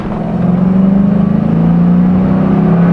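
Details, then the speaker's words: 2001 Ford Mustang GT V8 in neutral holding a steady raised drone at about 2500–3000 rpm instead of idling, from a faulty idle air control valve. "I'm on neutral right now and the car is over revving it's at 2500 rpm so clearly a problem right now"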